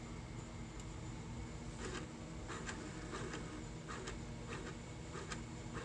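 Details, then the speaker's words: Vintage printer at a junk store, likely unpowered for about 30 years: faint motor hum with a short buzzing strain about every half second as the paper feed keeps trying to feed. The feed motor seems jammed, though the CPU appears to work. "I think the motor's jammed. See what I mean? It's trying to feed."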